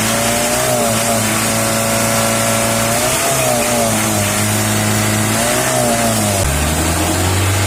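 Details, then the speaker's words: L300 diesel after the tune-up adjustment, revved in several blips. It pulls up and drops back evenly, and the earlier 'kletek-kletek tok-tok' clatter is gone. Normal idle and revving. "Oke Guys suara udah beda ya nanti kita lihat di depan nih suara langsung semakin ke depan mana yang kayak batu jatuh kemericik aku udah mau ngomong biar mana dia kletek-kletek kletek kletek tok tok nggak ada ya"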